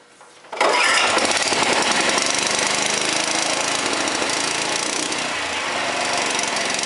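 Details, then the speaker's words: Honda four-stroke lawnmower that wouldn't start, after carburetor cleaning, pull-started with choke on: catches at once and settles into steady, even buzzing run with no sputter or surging; fixed and running healthy. "Success! That saved $150."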